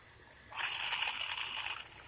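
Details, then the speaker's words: Old AC compressor removed from a 2002 Jeep Grand Cherokee Laredo, turned by hand: brief dry, gritty scraping rasp with no motor running; worn compressor confirmed as the source of the car's noise. "that a/c compressor was the problem this is the old one over here"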